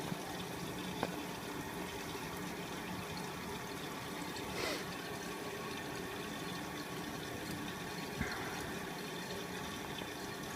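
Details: Miele W562 Prestige Plus 6 washer on Cottons 60°C with Water Plus, filling for the added second rinse after a 900 rpm intermediate spin: soft steady hiss of water running in, a few faint clicks, no pump strain; normal rinse fill.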